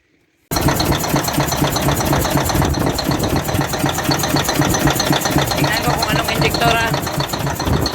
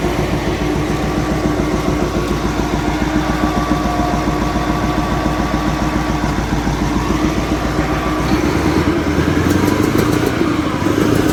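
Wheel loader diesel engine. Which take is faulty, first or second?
first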